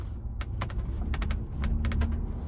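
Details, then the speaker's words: New 2021 Ford Bronco with optional molded-in-color hardtop on a rough road: sharp, irregular pops and ticks, several a second, over cabin road rumble, coming from the roof panels. "i'll shut up and you can hear the popping noise we'll go uh the post office where the road gets pretty rough yeah yeah yeah it's like like i said little dwarves making popcorn above my head which gets really annoying after a while"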